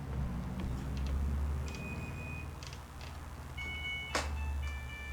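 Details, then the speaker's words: Broken washing machine, about 8 years old, powered but motor won't run and lid locks: a short tune of bright electronic beeps over a faint low hum, its normal end-of-cycle melody still playing. "still plays that annoying sound perfectly, though. I hate that sound."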